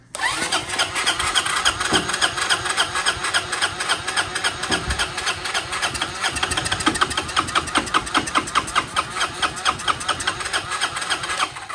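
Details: 1993 Honda Helix CN250 scooter after starting fluid and battery arcing: starter churns in steady pulses about three and a half per second for ten seconds, engine never catches; cranks but no start.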